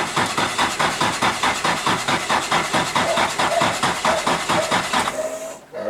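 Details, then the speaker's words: Nissan 180SX drift car cranking in cold weather on a jumped 12 V battery after raising cranking fuel on the ECU hand controller; even rapid chug about four beats a second, never catches; cause unknown. "let's adjust that crank fuel up give me a second let's try again all right heap more cranking fuel so hopefully that'll start it still no good"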